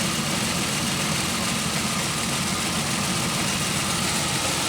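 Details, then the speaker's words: 2001 Pontiac Aztek warming toward operating temperature: steady rumble at idle, no ticks or knocks, but running shaky and uneven; belt squeal gone. Shaking cause unknown; owner also heard a hissing noise. "You can really hear, even though it's running really shaky and the squealing's not going on, it sounds like it's running smooth. I mean, like no ticks, no knocks."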